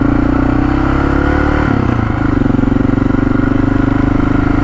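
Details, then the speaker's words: Honda XR650L carb, recently acquired and just washed: the thumper stumbles and loses its beat under throttle, then settles to a steady idle where it runs fine. Owner suspects condensation water in the fuel at the bowl bottom reaching the main jet. "i think it's when you really start to suck up out of the bottom of the bowl which is where the main jet would be"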